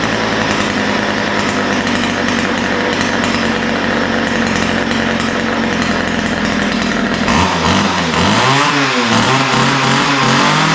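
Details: Ryobi two-stroke line trimmer, after a lean idle and top end were corrected by opening the mixture screws and setting the low-speed needle slightly rich: a steady, crisp buzz at high speed that drops smoothly back down. It runs clean and even, with the mixture set right.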